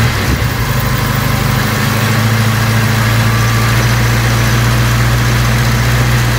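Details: Vauxhall Cavalier Mk2 after new distributor cap and rotor arm (previously missing until warm): steady even idle, firm low rumble, no stumbles or misses; normal idle.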